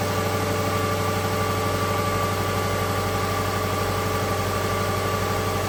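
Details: 2012 Subaru Legacy 2.5 EJ25 SOHC after head gasket replacement, exhaust smoking off as it heats: steady, even idle with a smooth regular beat around three pulses a second, no knocks or misses; engine runs healthy.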